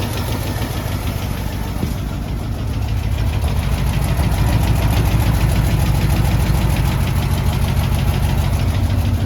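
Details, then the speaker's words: AMC 327 V8 in a Jeep at warm idle after exhaust manifold gasket replacement made it quiet: steady dull knock about three per second, heard more as a thud toward the oil pan; engine knock, source not yet found. "That one down there is pretty tight, but you can hear it knocking. So I hear more of a thud on the oil pan."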